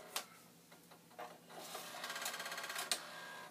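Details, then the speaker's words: Vintage Commodore floppy drive (1571 or 1541-II under test) failing to initialize a disk: quick buzzy chattering head-seek bursts, about three a second, never settling into reading; thinking but not doing. "another disc in and it's thinking but it's not doing"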